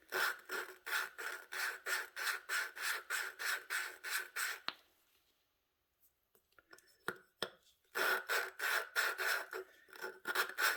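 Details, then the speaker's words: Hand lapping the exhaust valve with a suction-cup tool, pressing down, on an 18 hp Vanguard head; gritty rasping at about three strokes a second, then smoother strokes as the seat starts bedding in. "And I'm pushing down too as I'm doing this. I'm pushing down on the suction cup. See, it doesn't sound so gravelly anymore."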